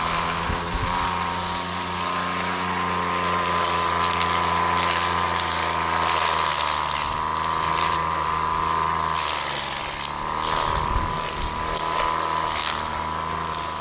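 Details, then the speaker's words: Aging two-stroke pull-start strimmer after carburettor cleaning and a scotch-brite pad air filter: holds a steady high buzz cutting thick growth without bogging or cutting out; normal running under load. "so that's working really well we've got a decent amount our there is when we get it in the thick stuff it's not killing it it's holding its own"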